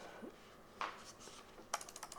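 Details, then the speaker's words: SteelSeries Sensei 310 gaming mouse button clicks: a few sharp, crisp, firm clicks with no rattle in a quiet room; buttons sound solid, normal. "just from the clicks, this is a pretty solid mouse, optimized for gaming."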